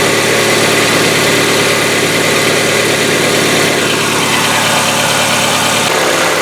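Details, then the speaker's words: Hyundai Getz, fully cold after a day in the garage, fresh oil without additive: loud cold idle with fast light hydraulic lifter ticking, slightly shorter than on old oil; Liqui Moly additive test follows. "Также после замены масла, после долгого простоя гидрики стучат. Стук по продолжительности, конечно, уже немножко меньше, чем на старом масле, но все равно присутствует."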